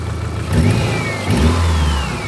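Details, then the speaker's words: 1989 Subaru GL with swapped-in EJ251 engine, after the bad cylinder-four coil was replaced: revs up cleanly and settles back with an even, steady beat and no misfire; running smoothly, no shaking. "So bad coil. Had spare one, put it in. Runs real good now."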